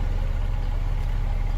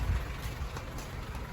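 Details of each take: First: Honda City on CNG that stalled when switched to gas; after injector cleaning and replacing one leaking injector, running on gas: steady, even low rumble with no dips or misses, a smooth normal idle. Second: Honda City on CNG that stalls when switched to gas, before repair: uneven, lumpy exhaust beat with irregular dropouts from one cylinder misfiring; traced to a leaking CNG injector, later replaced.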